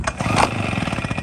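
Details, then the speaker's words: Small engine with air filter replaced by cigarettes in a baby bottle, second try with 8 more holes and cigarettes, engine choked out before: uneven, labouring putter with irregular pulses barely holding idle; rough running from restricted air intake. "I already cleared it out. It was choked out bad. Still not happy. Nope."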